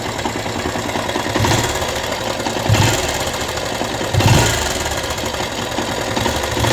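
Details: Rouser 180 motorcycle after long storage, started after cleaning a very dirty carburetor and finding lots of water in the tank: single-cylinder idle with busy clattery mechanical rattle and periodic surges; abnormal engine noise, cause suspected, not confirmed.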